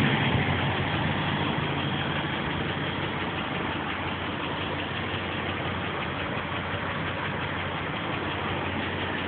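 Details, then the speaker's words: 2006 Dodge Durango 5.7 Hemi at 112,000k, idling. A light, quick tick at a constant rate, present hot or cold, loudest at the passenger-side wheel well and worsening over months. A manifold bolt or lifters are suggested as possible causes. "And this noise is hot, cold, whenever. It's just whenever it's on."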